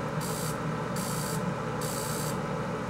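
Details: K40 CO2 laser with a new power supply and new tube, pot below 50%: a harsh hissing crackle in bursts about every 0.8 seconds over a steady low hum; high-voltage arcing, which stops above 50% though the tube still gives no beam.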